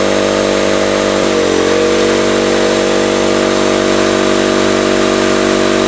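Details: Campbell Hausfeld 20-gallon oil-less air compressor after a compression ring replacement, on its first test run. An even, steady pumping drone about three beats a second sounds over a clean motor hum. The copper tubing was then found split.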